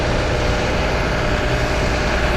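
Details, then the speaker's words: New 2020 Newmar Kountry Star 3412 diesel motorhome, engine running, heard from outside by the storage compartments: low, steady diesel hum under constant fan rush, no knocks; a quiet, healthy idle. "Now the engine's running on here. You should probably be able to hear it now, but it's a very quiet coach all in all."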